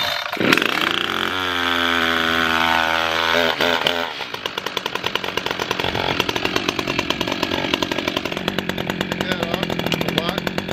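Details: New Echo CS-620PW 27-inch chainsaw, first-ever start with fresh fuel after choke and decompression valve: cord pulls, fires, revs with clean rising buzz, settles into even steady popping idle; normal start and idle.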